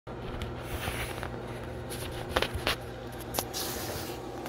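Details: Sewage lift station pump running: low hum with scattered, uneven knocks as the wobbling discharge pipe bangs the adjacent building drain pipe, with nothing separating them.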